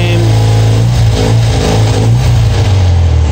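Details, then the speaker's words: Twin-carburetor engine after synchronization with the Harmonizer vacuum balancer, gauge dead center: smooth, even idle picking up cleanly on throttle with no stumble or hunting; normal running with balanced carburetors. "so running ah we're dead nut center and they're the same"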